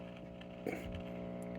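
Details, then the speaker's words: Heathkit T-3 signal tracer after recapping and pot cleaning: steady low mains hum with even overtones persists; suspected 60 Hz hum from lead dressing or a bad tube, since the tubes are untested. "maybe some 60 hertz hum so i'll check the lead dressing uh i may have a bad tube one of these tubes may be bad"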